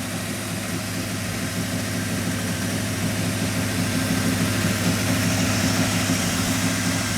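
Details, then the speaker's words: 1985 Chevrolet Monte Carlo SS 350 V8, first start in over a month after flooding, idling to warm up: steady low rumble without knocks or misses, though smoke is rising, probably from a leaking valve cover gasket. "this car hasn't been on in over a month and it just went through a flood so I'm going to let it get all the way up to operating temperature before I go yipping on it"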